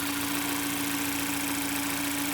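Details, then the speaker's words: Mazda 6 Skyactiv 2.0 with bottom-end knock after counterfeit oil, after connecting-rod bearing replacement, first start not yet warm: steady even idle, no knocking or tapping, only injection pump sound; knock later returned, crank and rod badly damaged. "здесь посторонних пока не слышу Он еще не особо нагрелся"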